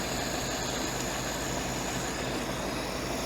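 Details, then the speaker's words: Ford-script Willys army Jeep flathead after the carburettor idle jet was cleaned: a quiet, even idle with a soft steady beat and no valve clatter, no valve train to make noise; idling cleanly. "Gotta love flathead engines, they just run so nice and quiet. There's no valve train to make noise. Sounds pretty sweet."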